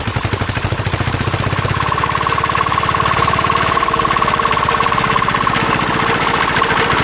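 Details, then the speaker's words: Mitsubishi NM85 diesel about 40 years old, rebuilt from scrap, test run before delivery: fast steady clatter with thin bearing whine on top from the cooling fan bearing; non-original spring, injector and air problems also noted. "แล้วก็สังเกตมันจะดังลูกปืนพัดลมนะครับ"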